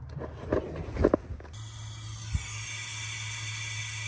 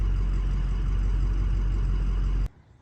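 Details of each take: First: Ford 6.0 diesel with hot crank no start, high-pressure oil system air-tested via IPR: steady hiss of escaping air heard out the dipstick, passenger side; leak traced to blown O-ring on dummy plug/standpipe. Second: Ford 6.0 diesel, warm (oil 195°F, coolant 197°F), restarted hot after fixing hot crank no-start with passenger-side dummy plug, standpipe and new oil cooler: starts fine, steady even idle, no knocks, shuts off cleanly.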